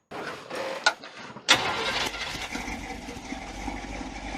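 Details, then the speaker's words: Newly built twin-supercharged 350 V8, first runs with the superchargers off and a base engine that won't idle properly: it cranks, catches and settles to a busy idle with fast, light clicking and clacking. Loose valve lash is suspected. "i can't really tell what the rpm's at but it sounds like there's something not right in there yeah i hear it clicking and clacking them"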